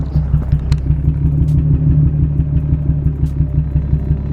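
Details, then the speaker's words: Nissan 350Z, pulled over mid-drive with a random misfire and a weird smell, still doing it after restart: rough, lumpy idle with uneven low thumps about three a second, some beats weaker; misfire, owner suspects injector or spark plug. "but the z is not running very good right now listen to this listen to this"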